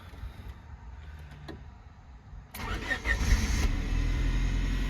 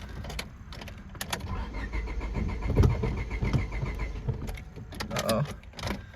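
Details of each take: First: 1999 Honda Civic that stalled on throttle when warm, after ignition wires were replaced, cold start: quiet clicks, starter catches quickly and the engine settles to an even steady idle, starting better than before. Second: 1999 Honda Civic with stalling on throttle (ignition coil tested good) on test drive: uneven, lumpy idle sagging and hunting, about to stall; owner suspects clogged fuel filter, not confirmed.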